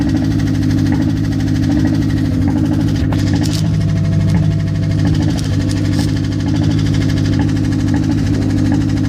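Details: Mazda engine at idle after sitting for a long time: an uneven tapping knock of about one beat per second rides over a low rumble; cause not yet clear.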